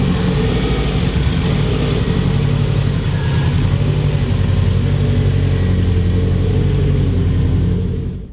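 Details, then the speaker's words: Subaru WRX with a freshly installed built EJ205 on its first drive, running 10W30 conventional break-in oil with the check engine light on: a deep, even boxer drone under steady driving, not too loud, with no knocks, ticks or rattles. Normal running. "it's not too loud I'm surprised I actually like like this volume though"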